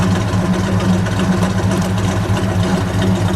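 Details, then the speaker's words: 1966 Dodge Charger with 426 Hemi V8 and 4-speed manual, heard from behind the car: deep, steady idle with an even low rumble and slight lope, no knocks or ticks. Healthy engine. "And I'll stand behind it and listen to it idle."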